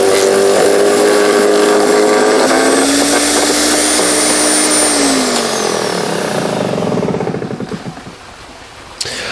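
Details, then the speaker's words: Earthwise GS70015 15 amp electric wood chipper/shredder, rated for branches up to 1.75 in, running normally while chipping sticks: loud steady motor whine, about leaf-blower loudness, with crackling chatter as twigs feed through, pitch sagging on spin-down. "Now, this thing is pretty darn loud. It's about as loud as like a pretty decent sized leaf blower."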